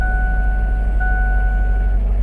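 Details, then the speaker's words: Ford Ranger idling heavy and uneven with a lumpy, skipping low thump: a misfire, with compression test showing cylinder 4 at only half the normal compression. "It's definitely skipping. It's running real rough."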